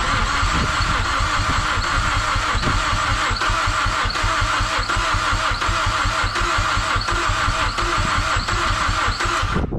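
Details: Mazdaspeed6 after new ECU and all-wheel-drive module programmed via FORScan: steady even cranking nearly ten seconds with occasional faint kicks, pops and burble backfires in exhaust; never catches, cranks no start.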